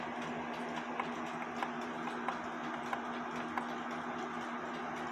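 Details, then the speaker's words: Seth Thomas clock with the verge and crutch assembly foot set too tight: about five uneven ticks falter and die out as the binding foot robs the pendulum leader wire of inertia, so the clock stops; the fix is opening the foot. "sounds like crap it stops now i'm gonna open up that foot stand by now i have the foot open it might be open a little bit too much but with that foot being open it provides the inertia"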